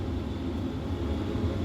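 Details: Travel trailer propane furnace after about 4–5 minutes lit via jumped thermostat terminals (thermostat suspected faulty): steady low rumble and even hum, no surging or pops; normal furnace operation.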